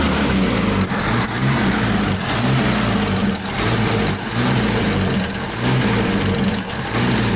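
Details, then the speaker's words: Opala, rough uneven engine note that won't rise in speed, strange noise when accelerating and odd smell; carburetor suspected. "Tá fazendo um barulho estranho quando acelera, cara."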